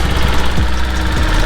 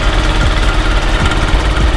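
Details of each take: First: Zuma scooter at about 9,900 miles, after adding oil and fitting a new exhaust and gasket: low, even putter at steady idle with no knocks or rattles; engine healthy. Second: Zuma scooter, about 9,900 miles, with new exhaust and gasket, swapped airbox, oil just added: small single-cylinder idle with a loose, uneven rattling clatter over it, from a part chattering where a bolt is missing.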